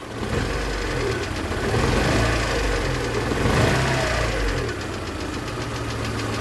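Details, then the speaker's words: VAZ 2112 petrol engine after warm-up misfires on one cylinder, stumbling and choking on throttle; pressing the ignition module connector smooths it, releasing brings it back; faulty ignition module, exhaust smells of petrol. "движок прогрелся и вот началось двигатель троит слышно да как троит как было до этого реакция на ГАЗ Итак нажимаю на корпус без изменений здесь на эту фишку вот нормализовалось на ГАЗ как обычно но стоит мне отпустить руку как всё движок начинает уже задыхаться и вот реакция на"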